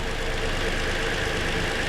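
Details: 2020 Toyota Sienna brought in for crank-no-start, running during oscilloscope testing that caught a shorted rear ignition coil: a smooth, steady idle with an even low pulse and no stumble or misfire.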